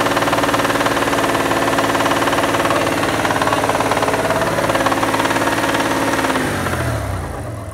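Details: Mitsubishi Diamante 6G73 GDI V6, warmed up, revved in place: steady fast knock about four per second over the revs, easing as revs drop; internal engine knock, owner wonders if it needs a rebuild, cause unclear.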